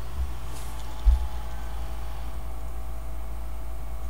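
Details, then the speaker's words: Gateway M-2626u laptop after cleaning out gummed WD-40 and lubricating the fan with graphite oil: only a low steady hum and faint even whir, no rattle or buzz. Fan now runs quietly, fix successful. "and we should see success quiet-quiet success sounds pretty quiet"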